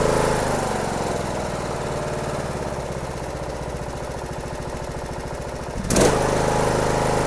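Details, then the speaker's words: Briggs & Stratton 17.5HP engine, approx 2018 manual-choke model, test run after carburetor cleaning for no-start/rough running. Catches quickly and settles into an even, steady run with no misses or surging; runs healthy. "runs like a champ"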